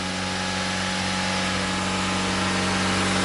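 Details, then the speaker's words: Mazda MX5 running: loud, fast, steady idle with constant buzzing tone that stays high; elevated idle, idle air control suspected. "H loud yeah but going to the idle going to go down uh the idle air control as [ __ ] but never mind"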